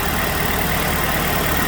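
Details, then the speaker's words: 2006 Chevrolet Malibu 2.2 Ecotec four-cylinder after temporarily fitting a used ignition control module in place of the failed one (P0300, cylinders 1 and 4 were dead): even, steady idle with no skip, running on all four cylinders. "it's definitely running on four cylinders now"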